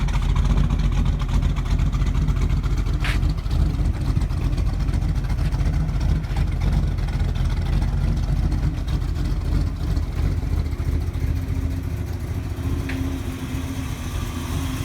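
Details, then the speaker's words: 1948 Mercury coupe V8, blipped under the hood as it warms: deep, even rumble rising and settling smoothly, no knocks or misses, not overbearing. Owner notes slightly rich running with a little black smoke. Normal revving. "but Again, it's got a good sound to it. Again, not overbearing."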